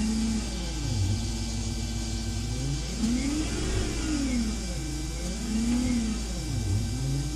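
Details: BMW E31 840Ci EV conversion with Siemens motor and inverter and power steering pump, revved during test run: smooth motor whine rising and falling with each throttle blip, no grinding or rattles; healthy.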